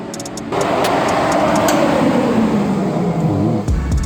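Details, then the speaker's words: 1000hp 2JZ-powered Skyline wagon cranked with injectors turned off to prime before first start: starter cranking with uneven chuffing pulses as the engine nearly fires. "Few iron gremlins going on. It wanted to almost fire up. I could hear it doing that. Sounds premium. Sounds just like the barrel ag starter."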